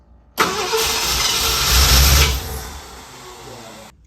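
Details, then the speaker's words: 1969 Ford F250 Ranger camper special, barn-find revival, no keys, jumped at the starter solenoid: engine catches and revs briefly, then sags and dies within seconds; wants to run but can't be kept running without the key. "You could tell it wanted to run, but with the starting solenoid, I'm just too young and dumb to know how to keep it running without the key."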